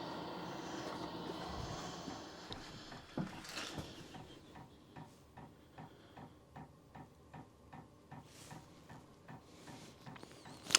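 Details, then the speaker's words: Diesel heater dosing pump in a gypsy wagon, heard from inside after re-mounting the pump at an upward angle nearly detached from the plywood; sharp even clicks about two per second, steady; normal pump ticking that remains audible. "that's interesting so it's I can still hear the clicking I don't know I guess that's what it's going to be click click click"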